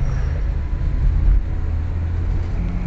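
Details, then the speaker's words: Nissan Grand Livina after idle learning and ignition timing setting, road test under load: even low rumble with no pinging as revs rise through 2500–3000 rpm, where it previously knocked; knock fixed, engine healthy. "Alhamdulillah ini sudah aman ya. Biasanya perpindahan RPM 2500 sampai 3000 itu dia ngelidik."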